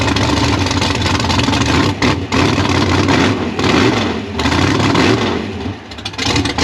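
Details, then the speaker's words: Gasser C10 carbureted race V8 with 71 primary jets and a 5.5 power valve, on a warm-up test drive: loud pulls with revs rising and dropping, brief dips and stumbles, popping out; owner and engine builder think it is running too lean. "I called the engine builder, Dean Gellner. He's the expertise with this. We think that the engine's running a little too lean."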